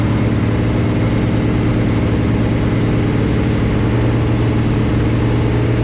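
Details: First start of the new Chevy 350 V8 in a 1974 Chevy Nova: a deep, even drone at a constant raised speed for cam break-in, with no knocks or misses. Normal. Oil later squirted from the valve covers with no PCV valve or breather, fixed by adding a breather.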